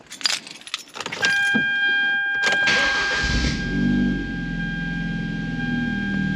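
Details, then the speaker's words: Car after refitting brand-new exhaust that hung low from untightened bolts, QTP cutout closed: cranks, catches and settles into quiet steady idle, no puffing or rasp; exhaust now connected properly, much quieter. "oh yeah that sounds 500 times better nice and quiet with the cutout closed"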